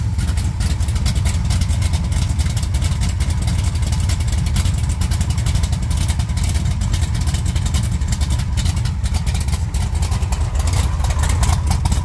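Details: 1956 Chevy V8 with new mufflers, temporary cooling fan setup: deep steady even burble, slight lift near end, no misses or knocks; healthy idle.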